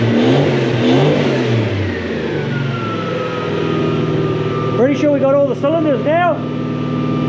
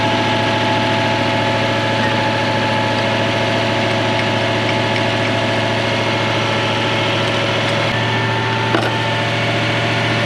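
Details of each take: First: Mk1 Ford Cortina with a swapped Toyota 1UZ-FE 4-litre V8 and mufflers, running properly for the first time after at least seven years unused: a deep, even V8 burble climbing cleanly through short blips with no stumble, all eight cylinders pulling. Normal revving. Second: Toyota 1UZ-FE 4.0 litre V8 swapped into a Mk1 Ford Cortina, first proper run; steady idle with a faint uneven lope, one cylinder not firing, cause unconfirmed. Oil pressure 600 kPa (about 90 psi).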